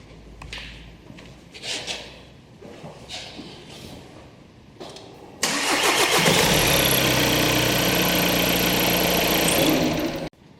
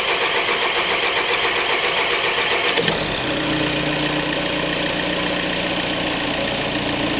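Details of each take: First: 2014 VW Golf 2.0 TDI EA288 diesel, warm restart with scope back-probed on cam and crank sensors: a few quiet clicks, fires almost instantly, steady even idle until shut off; normal start without the first-start long crank. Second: 2014 VW Golf 2.0 TDI EA288 diesel, first cold start of the day before repair (codes P0341/P0016/P0011): prolonged steady cranking before the engine catches and settles to idle, longer than 3.5 seconds.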